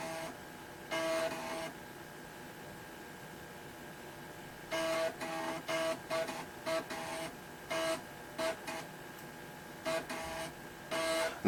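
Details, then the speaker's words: Toshiba T1000 laptop with a repaired floppy drive, running on a weak battery: short crisp bursts of ticking and buzzing head seeks with quiet gaps while reading the disk; the drive works properly. "let's just try this as you can hear the disk drive is definitely working again"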